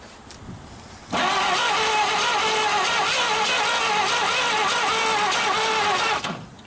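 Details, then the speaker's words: 1939 Chevrolet Master, last driven in the early 70s, first start attempt in 48 years with sandblasted spark plugs and a coil hooked up: starter churns about five seconds with weak puffs and catches that never hold, one cylinder with good compression; intermittent firing, won't run. "Take some more gas. Definitely she's firing a little, doesn't she? Yeah, she was trying. Puffing."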